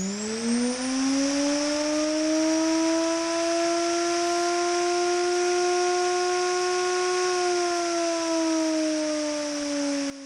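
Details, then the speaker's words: Washing-machine motor bench-tested on 220 V instead of 12 V, no speed controller: high whine climbs quickly to a steady, much more furious pitch, holds, then sags as power drops and takes ages to slow down. "Comme vous avez pu l'entendre, c'est beaucoup plus furieux tout de suite comme rotation du moteur. Évidemment, c'est en 220 volts plutôt qu'en 12 volts."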